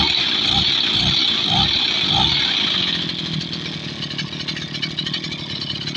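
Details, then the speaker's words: Tasco sprayer water-pump petrol engine, about 7 years old, all original; smooth even buzzing idle, no misses or knocks, carburettor still good; normal idle. "Langsamnya enak ya teman-teman ya. Ini masih bagus karbunya."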